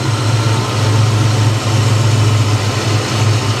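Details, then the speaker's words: 1989 Ford Mustang Foxbody, manual, running after its repair, fuel pressure checked around the expected 40 PSI, cold day: steady, even low idle with no misses, knocks or hunting; normal, smooth idle. "Yeah, she's back. She's back. It runs great, guys."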